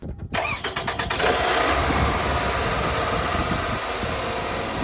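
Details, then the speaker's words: Car after new spark plug and ignition coil fixed a misfire, bad spark plug blamed: quick crank catches at once and settles into a smooth, steady idle with no stumble or skipped beats; running well. "But yeah, that car is running beautifully right now."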